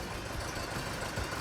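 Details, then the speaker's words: 1984 Porsche 944 during timing belt and water pump job: irregular thump and slight shake at idle like a cylinder dropping out; owner suspects the reference sensor or the other sensor, unconfirmed; rough, misfire-like idle. "Cuz it does sound like a misfire. That's what I was saying. It just sounds like something's out of balance."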